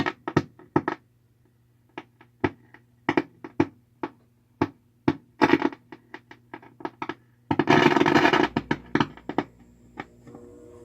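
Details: 4-month-old Vox AC30C2 amp: loud irregular pops and bursts of crackle through the speaker with nothing playing; cause unconfirmed, owner ordered replacement EL84 and 12AX7 tubes.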